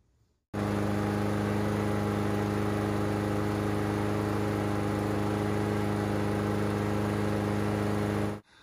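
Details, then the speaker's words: Honda GCV160 engine on Husqvarna AWD mower after replacing the clogged air filter blamed for choking and plug fouling: steady even drone at constant pitch, no misses or stumbles; runs like new. "Never missed a beat. It runs like a brand new lawnmower."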